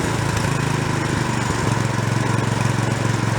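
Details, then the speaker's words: Free small snow blower found roadside, after warm-up: small single-cylinder holds a steady, even low putter at idle with no hunting or surging; idle circuit now working. "now now it'll idle [Music] the idle circuit's working"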